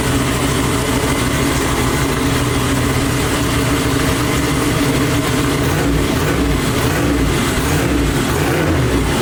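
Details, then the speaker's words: Twin-turbo Chevy Nova V8 on methanol, first start after two months of issues, no coolant running: loud lumpy steady idle with no knocks or misses, running on its own; normal running. "That's the first time it started. Hey. I'm crying. I don't know if I'm crying. I don't know if I'm crying because of methanol or if because it started, but I'm crying right now. So. Oh, it sounds fucking killer. It's gonna be a beast."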